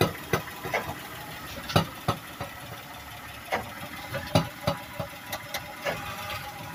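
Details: Toyota Sienna van (ex-California, earlier catalytic converter issue) at quiet idle: irregular sharp metallic knocks, about three a second, persisting after both sway bar links were replaced; owner suspects the exhaust pipe to the rear muffler striking the underbody.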